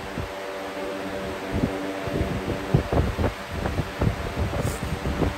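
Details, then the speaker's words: Air King 9723 fan runs with a steady low hum, soft air rush and slight vibration, not badly out of balance and much quieter than the previous loud one; normal fan running. "not that bad at all compared to how loud the other one was it's pretty quiet"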